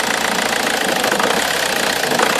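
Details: Omega 2.2 DTI, stone cold: idle turns harsh, uneven and wavering with smoke when vacuum is applied to the turbo wastegate actuator, and idles fine without vacuum. It settles when warm; owner suspects a turbo or wastegate crack.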